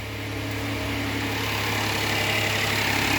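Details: After a DIY oil change with a paper oil filter on a push-button-start Hyundai: smooth, even idle with a steady low hum, no knocks, ticks or misses; no leaks found, engine healthy.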